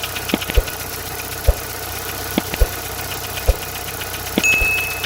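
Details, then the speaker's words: Chevrolet Corsa engine at idle, a sample similar to the owner's car: heavy knock about once a second with lighter top-end ticks. In the owner's car the cause was a warped camshaft cage whose old bolt imprint made the turning camshaft scrape; fixed by replacing parts. "então o barulho é muito alto galera e parece que tá batendo tudo lá embo"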